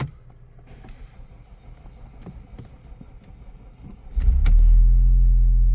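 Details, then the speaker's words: 2011 Audi A5 2.0T after P0016 repair, crankshaft sensor reconnected, jump pack attached: several seconds of slow uneven cranking, then catches to a steady idle with no misfire; long crank, suspected weak battery. "There you go. Bit of a long crank, but I'm pretty sure that's just because of the weak battery."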